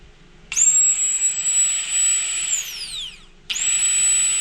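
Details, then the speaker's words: Old fuel pump removed from a Ford Fox-body Mustang after a problem at the track and on the dyno, run on the bench. A high whine that sags, cuts out and restarts; it sounds tired and slow. Brushes suspected worn. Replaced with a DW pump. "Yeah, it's not as zippy as that other one was. I think under load, I think it's just getting wore out, but you can tell right there."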